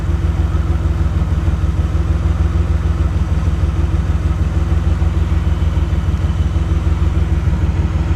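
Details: DeLorean warmed up, dwell meter being hooked up for a reading: lumpy idle pulse near three beats a second, not quite even; rough idle, cause still unknown.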